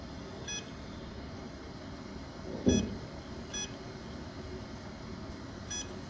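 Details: Seagate external hard drive: faint high beeps repeating about every second over quiet room noise, drive not spinning up properly and not detected by computer; cause unknown.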